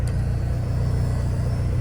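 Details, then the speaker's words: 1985 Chevrolet Astro van, 4-cylinder, 4-speed, sat untouched 15 years: fuel pump wired directly to 12 V via jumpered relay socket, pump heard running with steady low hum and faint even pulse, no sputter or whine; fuel pump running. "yep, I don't know if you can hear that, but the pump is running."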